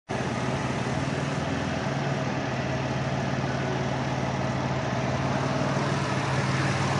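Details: Dodge Caravan at idle with P0301: faint uneven stumble under steady hum; cylinder 1 misfire from open ignition wire forcing coil to fire 40 kV instead of 10–15 kV, found with TA500 scope.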